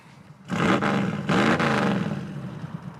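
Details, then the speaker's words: Big-block 1980 Mirada Pro Street car at wide-open throttle: two hard, deep roars, then a full, even bellow as the engine pulls cleanly and "does sound better". Normal wide-open throttle. "it does sound better oh man it's going to be cool"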